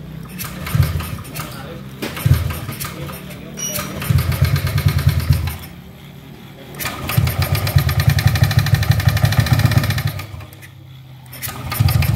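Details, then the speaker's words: Yamaha Aerox scooter that stalled with stored code 14 from a broken cam chain; after the repair the code is cleared, but revving in bursts gives a loud, rapid metallic clatter over the exhaust, excessive mechanical noise needing teardown to diagnose. "Perhatikan, bisa didengar sendiri sama teman-teman ya, suaranya sangat berisik sekali."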